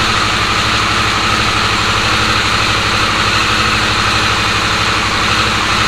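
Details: Harley-Davidson Sportster S, battery recharged after key-fob drain, started via key-fob code entry: steady, even idle with a smooth low throb, no knocks or misses under the exhaust note; healthy normal idle.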